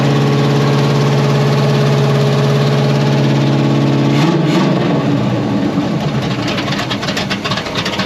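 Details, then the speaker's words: 1981 Oldsmobile Cutlass G-body V8 after nearly a decade of storage: big V8 settles into a lumpy, uneven idle with a slightly irregular beat, choppy rather than smooth; rough idle. "We got idle. Idle's a little choppy."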